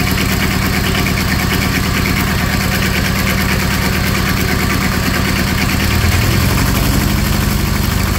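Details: Small diesel auxiliary power unit engine off an old truck, idling: steady idle around three pulses a second, even and unstrained with no knocks or misses; healthy engine.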